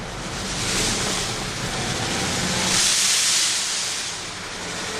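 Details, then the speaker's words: 1998 Mercedes E320 driven after a disintegrated, melted passenger-side catalytic converter blocked the exhaust and caused misfiring: loud steady hiss swelling with throttle from a hole pierced in the exhaust until a replacement cat arrives. "okay so I'm driving the car and it actually drives fine except that got the hissing sound well that's why got to put it in sport mode there we go this sound is annoying"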